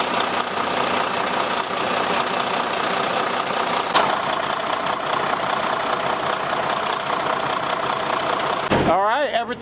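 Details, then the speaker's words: Detroit DD13 diesel truck at a steady idle just after replacing the belts (01-32732-671 & 01-32731-635); the pulleys spun freely, so it was a belt problem. Even roar with no chirp or squeal, and the squeaking is gone. "good no more squeaking that's it was a simple job"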